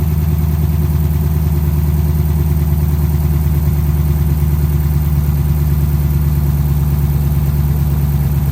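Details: 2010 Dodge Charger idling just after its first start following replacement of damaged heads, before coolant is added: a smooth, even idle with a steady low rumble and no knocks, ticks or misses, idling normally.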